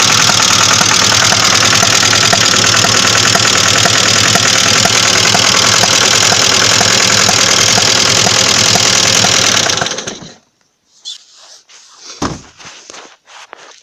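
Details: Engine at idle: sharp regular knock about four times a second over the idle until shutoff; engine knock, source undetermined.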